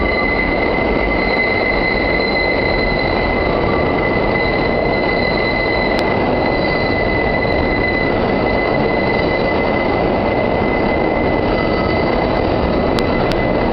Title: The Excrutiating Noise when the 5 squeals through South Ferry.